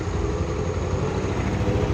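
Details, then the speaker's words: AXXO Viper 180cc scooter at idle after retightening exhaust bolts with lock washers and replacing the exhaust gasket: low steady even putter with no ticking or leak; normal, quiet idle. "pero en ralentí prácticamente solo un sonido molesto su sonido exagerado se ha perdido así así debe quedar el sonido de el tubo y del silenciador de escape no más uniforme posible"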